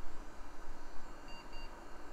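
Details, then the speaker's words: Late-1990s or early-2000s Gateway E-3400 desktop powering up with six bad capacitors: two short faint high beeps over fan hiss signal a CMOS settings error at POST. "Beep beep. CMOS settings are wrong, obviously."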